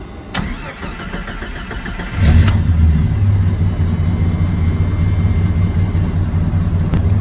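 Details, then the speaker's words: Jeep Comanche 4.0L RENIX petrol six restarted after idle fix (target idle set, IAC sensor unplugged, then driven): fires up and settles into a steady, even, low idle; best it has ever idled. "That's a lot better. Still idles at the lowest startup, but I think this might actually have worked. This is the best this thing has ever idled."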